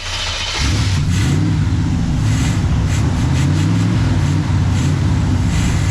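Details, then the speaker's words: 1979 Chevrolet Camaro carbureted engine idling cold; uneven idle surging and sagging every second or so as the choke keeps opening too soon. After more choke adjustment and warm-up it idles better. "Choke keeps opening, and I don't want it to. It doesn't like that at all. Doesn't like that one bit."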